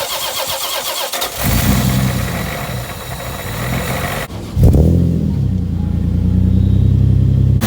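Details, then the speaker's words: 1999 supercharged Toyota Solara after head gasket, bigger cams and ARP head studs: starter cranks, engine catches, flares and settles to even idle with no knocks or misses; smoke only from touched header, later found running slightly lean. "start all right so there is smoke but that's just from the header just from touching it but it is up and running now"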